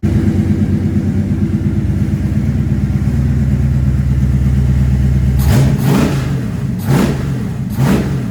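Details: Chevy Nova small-block 350, MSD box controlling timing and sending the RPM signal to the Sniper: deep, even V8 burble at idle, then three quick clean throttle blips without stumble or knock; healthy.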